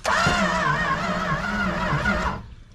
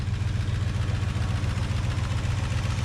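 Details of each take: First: 1968 Plymouth Road Runner parked since 1985, fuel pump hot-wired to the battery and starting spray tried: about 2.5 seconds of wavering cranking with no firing. Crank, no start. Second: 1968 Plymouth Road Runner V8, parked 38 years, running after a stuck fuel pump was freed and the timing set: low, steady rumble with even firing pulses at a constant idle and no knock or miss; the engine runs fine.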